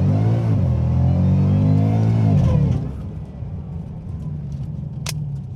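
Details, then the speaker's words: Shelby Super Snake Mustang, supercharged V8 with over 800 hp, underperforming that day, in a drag race launch. A strong low roar pulls hard, then after about three seconds suddenly drops to a weak drone: power cut into limp mode. "that's uh that's limp mode people uh says please see manual there's a do you hear the engine"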